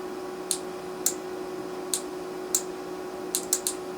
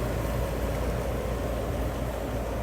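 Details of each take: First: Relay on Carrier furnace control board HK42FZ011, coil energized on bench: seven crisp clicks over faint hum, no continuity beep; contacts burnt from overheating caused by clogged filter. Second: Carrier furnace control board HK42FZ011 after repair of relays burnt out by overheating from a clogged filter: relay clicks, then a steady low whoosh and even hum with no rattles; blower running normally.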